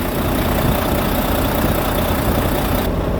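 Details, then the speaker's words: Volvo D13 truck diesel just cranked after replacing the failing alternator belt tensioner that caused the noise: steady even idle with a low rumble and no squeal, chirp or rattle from the belt drive. Noise gone. "it's not making that noise so there's no noise"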